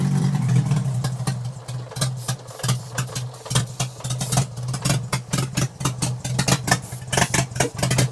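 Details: Mk2 VW GTI with a swapped 07K 5-cylinder, recently started for the first time, idling while sprayed with brake cleaner to find vacuum leaks (none found): a low, uneven hum with a wavering beat and sharp hiss bursts. Rough idle, cause unconfirmed.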